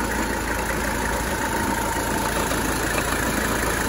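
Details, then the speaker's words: 1985 Mercedes 300TD diesel at idle after AC charging, still needing a little more freon: steady thin whine under the idle rumble, fading partway; AC compressor not sounding good, owner won't add more refrigerant. "yeah it's not sounding good"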